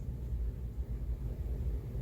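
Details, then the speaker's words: Ceiling fan with an odd number of blades, rebalanced with a penny opposite one blade and painter's tape, running on high: steady low whoosh of air, no blade wobble, no ticking, knock or shaft creak from the mount; normal ceiling fan operation. "I don't see any movement. I don't even see these moving. And that's on high. I don't hear the shaft creaking up top."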